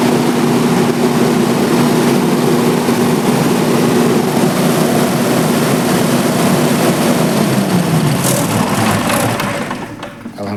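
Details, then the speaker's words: Three-phase generator with auto panel, manually started (checking battery and starter motor) then shut down: steady, even diesel drone with a firm low beat winding down smoothly at shutdown, no knocks; generator runs healthy, ready for auto mode. "Stop कर दिया। इससे यह पता चल गया कि मेरा generator ठीक है और ऑटो पे कर देंगे।"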